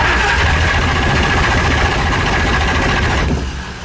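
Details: Shelby Daytona cold start after sitting 3 months, full tank, good battery, gas pedal held to the floor: the starter churns steadily at three or four beats a second but the engine never fires. Owners suspect it's not getting fuel.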